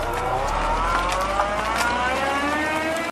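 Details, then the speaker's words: Triple-cylinder motorcycle engine whine attributed to straight-cut counterbalancer gears, compared with a car's reverse gear; a clear whine climbs in pitch as the car backs up and gathers speed. Reverse gear whine. "As you can see here, the shaft is connected to the crank through what's called straight cut gears, as opposed to the much quieter helical cut gears. If you ever went in reverse in the car, which I'm going to assume you did, you'll know exactly what I'm talking about."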